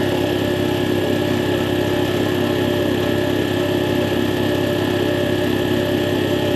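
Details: Air compressor on a test run after replacing the faulty check valve: steady, even pumping thump with a smooth hum, and no hiss or leak from the unloader between strokes. The compressor runs normally.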